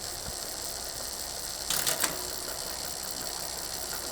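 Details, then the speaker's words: Bicycle rear derailleur after indexing adjustment, shifting up one cog at a time: smooth drivetrain whirr with a brief clean shift click and no excessive noise, rubbing or chatter on any cog. "Maintenant: montez un pignon à la fois, en vérifiant à nouveau qu'aucun bruit excessif une fois se produit quand la chaîne est sur le pignon"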